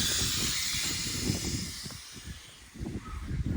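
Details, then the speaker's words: Home 410A AC recharge with auto AC gauge set: sharp gas hiss fading over seconds as refrigerant leaks from cracked hose ends with bottle open, normal purge of air from the lines. "Both of these cracked, and we're just letting a little gas leak. We got the bottle open, and that's going to purge us."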